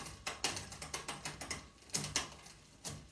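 Quick ticking from the pedalled drivetrain with a few crisp clunks as the chain settles on the next cog; the gear change is clean.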